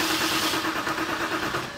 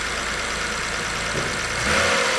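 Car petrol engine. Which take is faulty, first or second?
first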